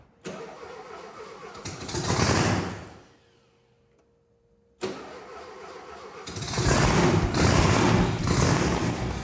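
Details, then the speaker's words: Supercharged Volkswagen engine started after tapping the carburetor to fix a suspected float bowl problem: brief crank, catches cleanly and runs steadily, revving smoothly with no backfiring; healthy start. "Turn the key and it starts. Just as it was advertised. I love the sound of Volkswagen engines."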